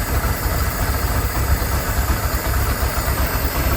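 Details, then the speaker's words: Abandoned ski boat engine revived after years sitting, old carburetor only a small screw set, fresh oil: steady low rumble with soft slightly lumpy beat, smoking, no knocks or rattles; idles normally, manifold leak noticed. "let it run for a little while and see what happens there. Heck yeah. Old carburetor worked out."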